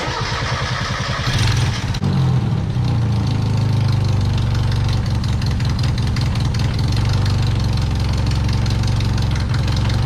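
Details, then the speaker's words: Turbo Miata that developed major issues on a test drive: the engine catches and settles into a lumpy, misfiring idle with an intermittent clack, not a knock or tick; unplugging spark plugs now changes it; cause unknown, with the valve cover coming off to check. "Alrighty, so you guys can't hear it, but it's clacking. It's not knocking, it's not ticking, it's an intermittent clack."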